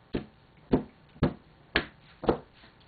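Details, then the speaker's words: Exhauster bellows cloth pulled taut rapidly without cardboard stiffeners: about six sharp pops, roughly two a second, as the cloth snaps tight. The popping comes from very rapid air movement, which is why stiffeners are used. "but you can hear that popping sound and that that popping sound of course is it's the air um it's the movement of the air very very rapidly"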